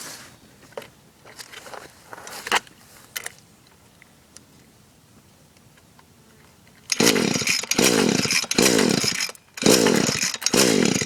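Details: Echo SRM-210 trimmer on fresh two-stroke mix; repeated pull-start bursts of ragged cranking rasp that die away and never catch. It previously started only with WD-40, the plug comes out wet, compression is about 150 and the stop leads were checked; cause unknown.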